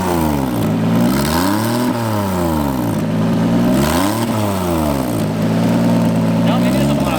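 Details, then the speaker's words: Turbocharged drift car at track, revved: raspy puffing chuff rising and falling with revs; exhaust leak from blown turbo-to-manifold gasket, car needs repair before driving. "I mean, I don't think I had a gasket. If I did, it wasn't that big of a gasket to leak that much. But definitely it was the exhaust leak."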